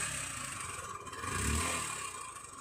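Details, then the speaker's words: Hero Hunk motorcycle engine revving with a light clattery "tak-tak-tak" top-end tapping over the exhaust note; bike also has white smoke problem, cause not yet confirmed. "Engine noise வந்து நீங்கள் பார்த்துருப்பீங்க வீடியோவில். அதாவது டக்கு டக்கு டக்கு டக்கு டக்குன்னு ஒரு சவுண்டோடு வந்து இந்த இன்ஜின் வந்து ரன்னிங் ஆகும்."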